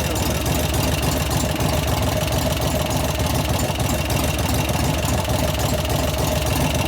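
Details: 1988 Harley FXR V-twin after lifter-noise repair (pushrod adjustment, cam change); steady even idle with deep regular lope, lifters quiet with no top-end ticking; normal idle.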